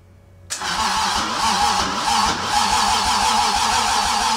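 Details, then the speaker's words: Toyota 2JZ engine, self-wired swap in a car unused for 10 years, first start attempt; starter churns steadily at about three to four turns a second but never fires. "ah ah ah c'est quoi c'est de l'allumage ça c'est quoi allez allez s'il te plaît"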